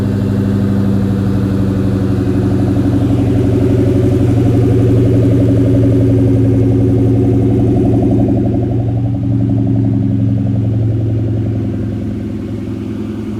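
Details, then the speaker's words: 2003 Ford Mustang SVT Cobra Terminator V8 after NGK TR6 spark plug change over WOT issues; steady even idle, low smooth burble, occasional small bloop, no leaks, idling as before. Normal idle. "Sounds good, no leaks. I'm gonna take this car out for a drive in a few minutes, but I just gotta move it for now. Alright, so it seems to be idling about the same as it was before."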